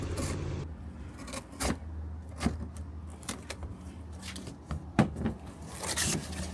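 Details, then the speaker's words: Nissan 240SX before repair; deep, uneven tractor-like engine drone with sharp irregular puffs and ticks as it revs, from a leaking exhaust header gasket awaiting replacement along with a leaking valve cover gasket. "She sounds like a tractor right now. But as soon as we fix that, which is the header gasket, we're waiting for that to come in, she should sound much better."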